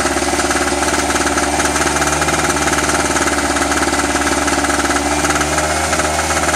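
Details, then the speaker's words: Eagle River ERG1200 two-stroke generator after first start: loud, hard, rapid knocking at about four beats a second over a rough, clattery note; owner suspects the plasticky-smelling oil isn't lubricating enough. Engine knocking, cause unknown. "i don't like that knocky sound i gotta pull the oil out check it out"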